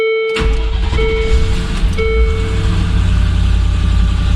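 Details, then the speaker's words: Second 1999 Land Rover Discovery after its ECU and BCU are reconnected: chime tones, then V8 catches and settles into a steady low rumble with no stumble. Normal start and idle. "It looks like I do."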